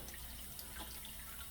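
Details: GE Profile dishwasher that filled but didn't wash, after pump and wash motor assembly replacement, starting a cycle; steady rushing hiss of water filling the tub, no pump groan or grinding. Normal fill.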